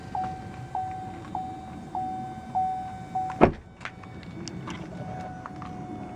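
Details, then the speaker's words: GMC Canyon/Chevy Colorado diesel just after a fuel filter replacement, key in accessory mode: a steady, mid-pitched hum pulsing about every 0.6 s, then a clunk and quiet; the lift pump priming normally. "the last thing you gotta do is you gotta put into the accessory mode so Prime's the pump it'll make a goofy noise"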